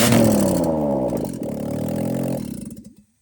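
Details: 2000 Mazda Miata NB with the stock headers removed, running as a header dump before installing new Goodwin headers; loud raw crackling bark rising with revs, then shut off. Open header exhaust.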